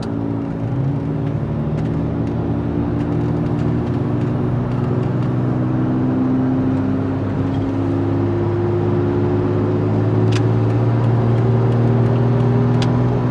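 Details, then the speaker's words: Toyota FJ Cruiser driving, owner had run wheel spacers for years: steady low droning hum/groan under road noise, climbing slowly in pitch as speed builds; bad front passenger-side wheel bearing, both front bearings replaced. "so we have that humming noise which is pretty weird"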